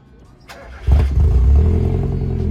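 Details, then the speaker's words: Mazda Miata first start after a new exhaust line was fitted, checking for leaks and sound: brief crank, clean catch, then a deep steady burble with no buzz or ticking; owner is satisfied with the muffler. "Non, ça va, franchement, je suis assez satisfait de ce petit pot."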